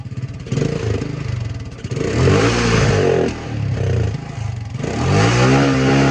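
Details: 1984 Honda ATC 200M three-wheeler barn find, revived after 30 years and parts replacement, needs fine tuning; while riding, single-cylinder buzz climbs and falls cleanly through throttle blips, crisp pickup, no misfires, healthy.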